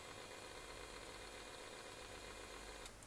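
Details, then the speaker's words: Rough, gritty rumble with uneven throb from a 2306 brushless miniquad motor spun up on the bench during a build; three of four new 2306 motors rumble and vibrate, one awful, so builder plans to revert to old 2205 motors. "om what I can tell three out of four of them making horrible sort of rumbling noises when I spin them up"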